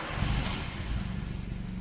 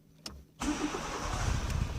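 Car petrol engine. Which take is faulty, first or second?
second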